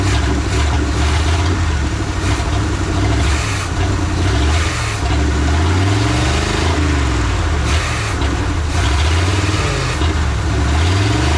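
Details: Abandoned truck with what looks like a small-block Chevy V8, after a decade in the woods: steady low even rumble with slight lazy wander in speed, no knocks or misses; idling fine.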